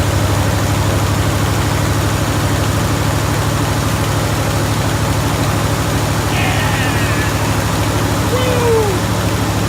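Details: Jeep Grand Wagoneer V8 idling just after fitting a new 94-amp alternator, with a dirty air filter still in. Deep, even burble with steady rhythmic pulses and no misses or knocks; a healthy engine.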